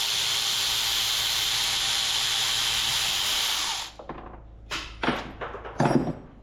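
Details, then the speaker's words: Three-cylinder Kubota diesel from a B6100 tractor being rebuilt, valves lapped with a screwdriver. Steady high gritty rubbing of lapping compound, then the sound changes to scattered scrapes and taps as the seat mates well; valve lapping. "You can actually hear the sound of it change when it's got a nice mating surface."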